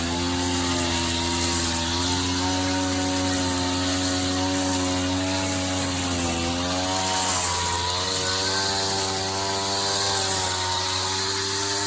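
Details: 39-year-old vintage Toro weed trimmer, Japanese-made small two-stroke, after freeing a stuck throttle cable, first run in years: raspy buzz holding fairly steady with small rises and dips in revs, clean without sputtering; normal running.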